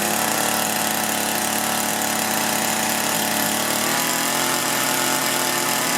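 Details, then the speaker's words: Echo two-stroke hedge trimmer, engine replaced, only ran on choke, during carburetor adjustment-screw tuning: buzzing at high steady revs with only a slight shift; won't throttle up and adjustment failed. "So I'm having a hard time throttling up. I'm going to go ahead and start it up and adjust that and see if we can get it to throttle up."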